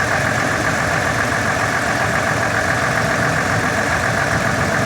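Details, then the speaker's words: 1999 Ford F150 4.2L idling with an uneven stumbling misfire beat, engine shaking, light backfiring and raw fuel smell; codes P0340 and P0174, cause suspected, not confirmed. "It is running rough. I'm not sure the camera can pick it up, but the engine is shaking. I do hear a little bit of backfiring."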